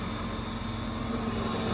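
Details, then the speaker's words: Honda EU7000is inverter generator running a 2-ton central air conditioner via the house panel; its drone rises slightly in pitch and loudness as the rest of the household load (about 2600 W total) is switched back on; normal response. "Hear the generator speed up a little bit? Now that's with everything else."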